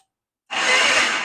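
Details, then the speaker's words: Yamaha XS650 chopper after new wiring harness install, first try on the electric starter: short even whir of about a second, spinning freely with no grinding or clicking; normal starter cranking. "so excited to hear that okay so the starter works everything works which is freaking awesome"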